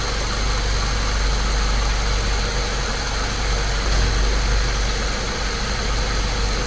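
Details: Saab 9-3 Turbo idling after the ignition coils were refitted to cure a slight misfire, with the camera on top of the engine. Even, steady low idle with no skips or stumbles; all cylinders firing smoothly.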